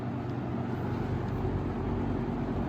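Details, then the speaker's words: 1996 Lakewood 223 3-speed 20-inch third-gen box fan, before restoration, on low speed: soft steady low whoosh and hum, no wobble, rattle or knocking; smooth, no vibration felt. "oo that's that is a smooth fan I don't feel any vibration coming from it"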